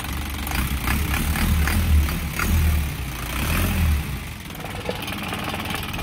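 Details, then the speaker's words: Isuzu 4HG1 diesel in Japan surplus truck, original never-overhauled engine with fresh oil change: deep even rumble swelling smoothly with each throttle blip and settling back cleanly; healthy revving. "So, ito yung tunog ng 4HG1 mga kabusing. Yan. Ayan, maganda siya."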